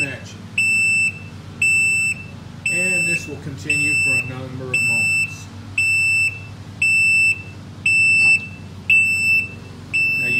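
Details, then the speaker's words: Can-Am RT Spyder, engine started, parking brake release pressed: the light flashes, and after key off, high shrill beeps about once a second warn that the parking brake failed to release (known issue). "Okay, so now I'm going to release the parking brake. The light starts flashing. Turn the key off, starts"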